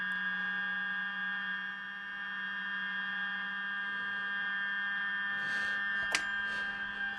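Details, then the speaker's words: 1946 GE Model 100 AA5 tube radio after alignment: a steady high-pitched whistle over a low hum when tuned near the low end of the dial; cause unknown, owner plans to adjust the tuning capacitor trimmers. "i don't know why it's squealing down here though i don't know what that's about"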